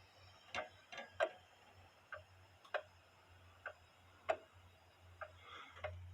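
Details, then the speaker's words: Eli Terry groaner clock movement back in its case, heard through a beat amplifier clipped in the case: ticks about forty a minute with clearly unequal gaps and loudness over a faint hum; out of beat even though level, needs re-beating. "It's not quite in beat, even though it's level. I have to get it in beat again, but what do y'all think?"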